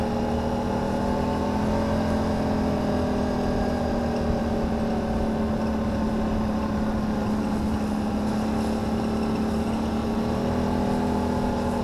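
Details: 2009 Can-Am Renegade: steady engine drone with a pronounced whirring hum from the CVT housing, first suspected as a CV shaft; fine a week earlier, and the owner wonders whether a 20-degree temperature drop is involved.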